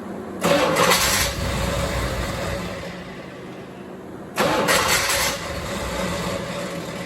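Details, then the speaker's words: Corvette C4 cranks but won't start after intake reinstall with bent cold start injector; two short cranking bursts, engine spins but never fires. Fuel pressure gauge reads 0 after priming and doesn't rise when cranking, so owner concludes a dead fuel pump. "Almost sounds like fuel pressure this time."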